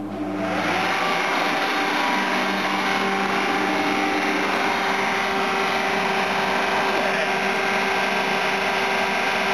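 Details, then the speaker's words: Commercial kitchen exhaust fan switched on: steady loud airy roar with faint hum and no knock; fan motor sounds louder and rougher than it should, though it works and bearings seem good. "I've always got a weird sound from those motors."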